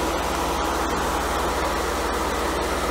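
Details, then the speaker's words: Mercedes W124 low-speed auxiliary cooling fans after fixing climate control unit fault that caused overheating; steady even whoosh with soft regular flutter, staying on for minutes instead of cycling on and off; healthy. "wow it's been a couple minutes and the low speed fans are still on they used to cycle on and off"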